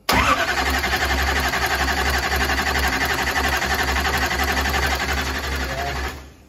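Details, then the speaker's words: Mullet's 9.3L SMX big block on first fire-up, timing reading around 290–295, likely a tooth off; loud lumpy burble over a pulsing low rumble for six seconds then cuts, ignition timing far out. "Well, you're not supposed to move it that far. That means it's like tooth off. Like it's like way."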